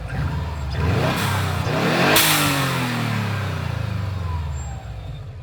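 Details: Subaru Impreza WRX GC8, EJ20G turbo revved up and back with a rough rapid knock riding on the revs; driven a year, prior owner two years; told forged pistons knock, owner suspects connecting rod; unconfirmed.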